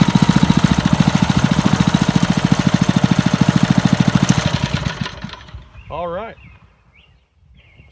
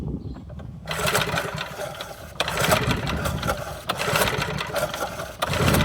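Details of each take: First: Montgomery Ward rototiller, small single-cylinder engine, after getting it running again with spark and choke working, air cleaner still off: chugs evenly at a steady idle for several seconds then dies away; runs healthy and smooth. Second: Montgomery Ward rototiller no-start, spark plug reinstalled for test: four recoil pulls about every second and a half, whirring crank with no pop or firing; no spark confirmed, ignition under shroud to be checked.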